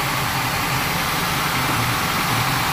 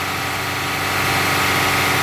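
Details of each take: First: Warm-up idle of an engine being diagnosed for rough running with a vacuum gauge: a dull, uneven low beat with occasional stumbles. Manifold vacuum reads 16 inHg at idle and improves as the engine warms. A misfire from a dead cylinder. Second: Rough-running engine on a misfire diagnosis, throttle opened by hand to 2500 rpm during a vacuum gauge test; even, steady roar with no stumble or miss, normal running at raised speed.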